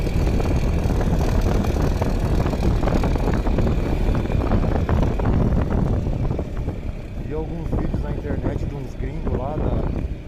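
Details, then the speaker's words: Yamaha Xmax scooter, 14,000 km: engine normal until torque is applied, then a busy metallic rattle at about four a second; suspected loose plate bolt holding the camshaft in the cylinder head. "Motor normal em a partir do momento que você dá torque na moto, começa a grilar."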